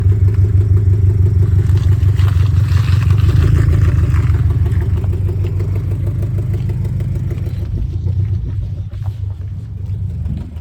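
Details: Engine with new Tomei UEL headers at idle: deep rumble with a quick puffing tick that falls away as it settles; exhaust leak at the headers.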